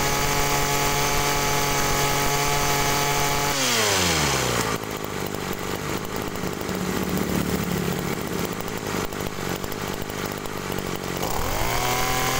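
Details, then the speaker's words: Agricultural sprayer two-stroke with a known-good spare carburetor: steady high buzzing revs, clean drop when throttle closes, picks back up without bogging; normal carburetor sound for comparison. "Oke jadi itu tadi ya teman-teman itu adalah suara karbu yang normal"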